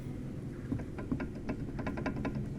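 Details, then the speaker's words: Honda HR-V rear shock absorber, removed and worked by hand, noise returned after earlier front shock replacement: light irregular clicks and knocks from play in the worn shock absorber rod. "Esse barulho que vocês estão ouvindo é da haste do amortecedor. Eu estou segurando ele aqui."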